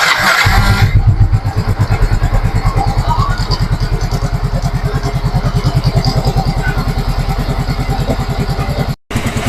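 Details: Yamaha Mio M3 single-cylinder scooter that had a rough engine noise, idling after the valve clearance was checked at top dead centre: an even, steady low putter of about 2.5 beats per second with no odd noises; normal idle.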